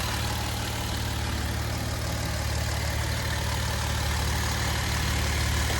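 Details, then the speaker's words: 2011 Jeep Wrangler 3.8 V6 with P0301-P0306 misfire codes, plug wires back in looms: steady, even idle with a smooth low rumble, no stumbles or skips; no more misfire, running cleanly. "that sounds pretty good so far no more [Music] misfire everything's back in its looms bug wires are all in place"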